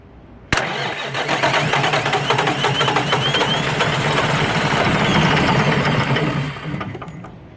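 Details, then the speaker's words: Rebuilt Mack E7 diesel truck engine, first start after reassembly, a little cold and primed before starting; cranks, catches sharply and settles into a steady even clatter, then fades at shutdown: normal cold start. "it's a little bit cold we're going prime it yeah it take out the the wire we take out the wire yeah go on go on"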